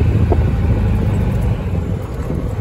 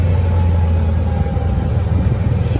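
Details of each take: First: Club Car golf cart after throttle cable adjustment and governor de-restriction, at high speed on test ride: steady low engine drone under road noise with faint whine, revving past usual governed limit; engine whine at high speed. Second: Club Car golf cart after throttle cable adjustment and governor de-restriction, climbing a steep hill under load after complaints of sluggishness: deep, steady drone holding firm without bogging or surging; normal running under load, pulling much better.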